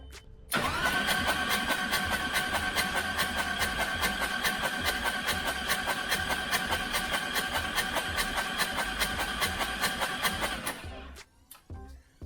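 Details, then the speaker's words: Turbo Harley Road Glide cranked dry to prime oil, with two spark plugs out, coil unplugged and no fuel tank: fast, even starter churn about twice a second for ten seconds with no firing. It stops abruptly when the relay cuts the starter. Normal compressionless cranking. "two plugs taken out, so there's no compression. It should spin over fairly quickly."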